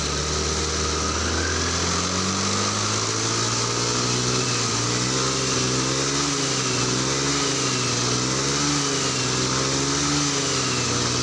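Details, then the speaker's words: Honda Scoopy FI scooter, previously misfiring and losing power at high revs, with new fuel pump near 3 bar: ticks over evenly, revs rise smoothly and settle back without stumbling; stable idle and rev. "nah stabil dia posisi stasioner stabil dan saat di gas juga dia nggak bakal turun stabil"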